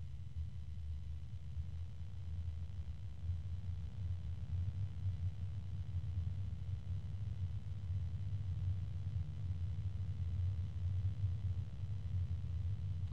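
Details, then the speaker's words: SilverStone Air Penetrator 184i-Pro 180mm PWM fan at high speed: steady low-pitched hum with an even rumble beneath, nothing sharp; owner suspects bearing noise, not a quiet fan, cause uncertain. "fairly low pitch and once it gets up this high that noise uh this noise is drowning out the sound from what again I think is the bearings but it's not a quiet fan"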